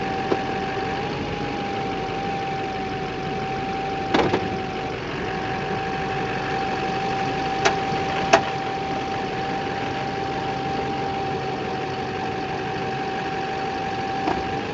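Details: 2008 Chevrolet Silverado 2500 Duramax diesel idling with steering whine; sharp pops while turning the wheels, caused by the four loose engine crossmember bolts. Cured by removing them, cleaning and oiling the threads, and torquing to spec.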